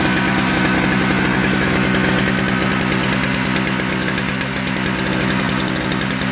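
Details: Toro 38602 Snow Commander single-cylinder snow blower engine, after a new primer bulb and auger and drive cable adjustment: steady, busy run with even firing throughout; running properly.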